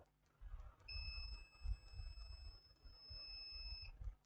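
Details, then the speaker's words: Laptop motherboard short-circuit check: multimeter on a removed capacitor gives one unbroken high continuity beep for about three seconds; the capacitor is shorted and has failed. "check on the capacitor that's our capacitor you can hear the beeping on the multimeter here's the multimeter is bibing so"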